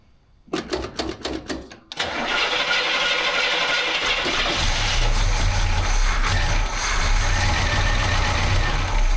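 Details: 1968 Chevy Camaro SS 396 big block, one owner, sat 26 years with the motor first appearing locked, on its first start: several cranking bursts, then it catches into an uneven, lumpy idle that slowly steadies as it seems to start getting fuel.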